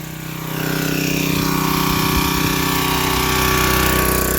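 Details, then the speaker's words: $5 yard-sale pressure washer, revived without new parts after spark check and fuel-system cleaning, choke linkage sticky, hose leaking slightly: engine catches and settles into a fast, even single-cylinder beat, no knocks or misses; running normally. "It has a leak in the hose, but not that bad. Oh my god. It runs so good, though. I don't know how."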